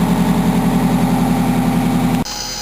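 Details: 1987 Wanderlodge PT40 with an 8V92TA Detroit two-stroke diesel, first run in about five months after a slow start and lost prime, camera outside: loud, steady idle with an even, rapid beat and no knocks or misses. Normal idle.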